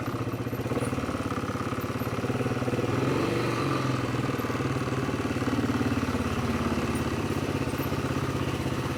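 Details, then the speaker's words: 2006 Polaris Hawkeye after new drive belt, with a weak battery: engine running with a loose, uneven clanking at about three or four knocks a second from the CVT clutch rollers; worn clutch rollers clanking. "you hear them uh clutch rollers klank and dead battery"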